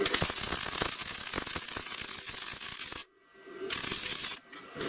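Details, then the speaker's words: Bestarc MIG 145 welder switched to 110 volts, 80 amps: steady crisp frying-bacon crackle with short pauses between beads; normal MIG welding arc, welding well. "it's working really, really well. Okay, again, a really good job on 110 volts, 80 amps."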